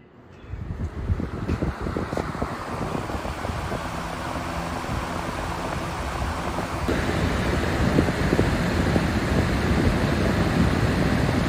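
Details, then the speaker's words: Fan on high after its dirty blades were cleaned: rushing air builds smoothly and keeps climbing with a faint flutter, no rubbing or ticking; normal fan running. "this is actually a better fan than the one we did look at that incredible performance increase"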